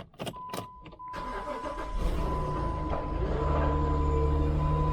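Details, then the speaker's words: 2007 Jeep with a no-start complaint, 192,360 miles, after starter replacement: a few uneven cranking bursts, then it catches with a steady high ring over the idle; the start doesn't sound right. "right. That didn't sound very good."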